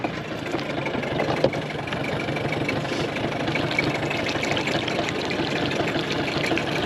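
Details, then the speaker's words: Early-90s 8 hp Mercury two-stroke outboard after rebuild, mounted on a boat at the lake, fires right up: even burbling idle with water slap, no knocks or hunting; normal idle. "let's show you guys then too the motor fires right up"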